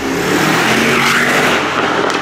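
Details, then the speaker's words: Mercedes GT63 AMG (640 hp V8) after full engine rebuild, first drive: strong, clean V8 pull with pitch climbing smoothly under acceleration, no knocks, misfires or rattles, no engine warning lights; healthy engine under acceleration. "Engine's alive, no engine lights. Sounds like a bloody beast."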